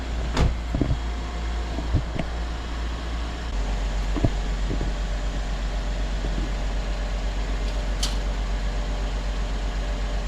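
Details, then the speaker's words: Rear air springs replaced on a 2010–2014 Mercedes W212/S212; car lowered so the system pumps up. Steady low hum of the air suspension compressor under a few clunks, raising the car back to level; normal compressor operation. "Now, if nothing else is broken, it's pumping, I can hear it."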